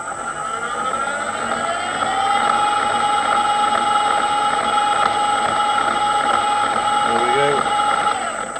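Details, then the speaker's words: Harrison M300 lathe headstock, selector removed, run unlubricated at slow and fast speed: steady gear whine with a faint uneven knock; knock persists, owner suspects worn top cluster gear wheels needing replacement. "so the knock's still there as you can well here we are"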